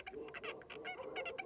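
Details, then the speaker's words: VAZ 2111 driving with quick high-pitched chirping squeaks from the rear after about 15,000 km driven by owner; handbrake cable rubbing and worn through, then fixed. "Трёт трос ручника, [ __ ] Идёт трос ручника, [ __ ] и ты едешь, и оно постоянно пищит."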